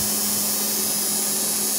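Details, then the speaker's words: Repaired TIG/GTAW inverter welder after reassembly, which before only crackled briefly and died; now stays on continuously with a steady even high hiss over a low hum, no crackle or surging, running normally. "nyala enggak kayak tadi tadi cret cret cretet itu udah lama ya tadi kan cuma sebentar langsung mati itu udah nyala terus BM udah normal"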